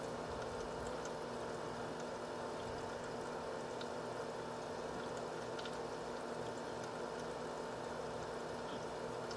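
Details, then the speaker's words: H220 liquid CPU cooler pump at steady 2947 rpm per SpeedFan, near max, no case or radiator fans, side panel off, warm coolant; quiet steady whir with faint water trickle, no rattle or grinding: normal pump operation. "on the pump speed right now it's running at a steady 2947 rpm it's pretty much maxed out right now"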